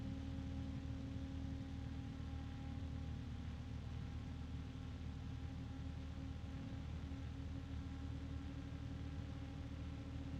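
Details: Noctua fan compared with Corsair ML120: even steady fan rush with a clear constant tone on top; Corsair louder overall but Noctua's pitch cuts through; normal fan running.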